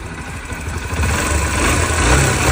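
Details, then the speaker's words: Motorcycle engine idling after its loose timing chain was replaced and the tensioner reset with its screw and spring refitted; even low putter with no rattle or ticking, quieter than before repair; normal idle. "换了链条之后，是不是感觉安静一点了？这个张紧器螺丝弹簧不能忘记了哈，如果松了之后呢，是会产生异响的。"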